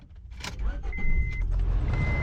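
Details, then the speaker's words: 22-year-old Honda with about 225,000 miles, recently passed New Hampshire state inspection: brief starter crank, then it catches and settles into a steady low idle; a clean, normal start. "and it starts so so far a score"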